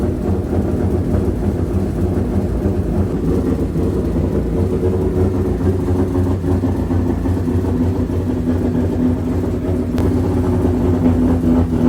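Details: Toyota 2JZ-engined Nissan 180SX idling at its first dyno tune: lumpy, uneven off-beat idle, running down a cylinder; misfire traced to bad injector connector pin, alternator also not charging.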